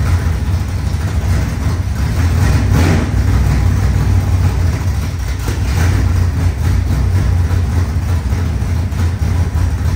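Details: Rebuilt 25-year-old SBC 400 small-block V8 race engine in a Chevelle, after fixing the timing: loud, deep rumble at a steady, slightly high idle with an even beat and no knocks; healthy.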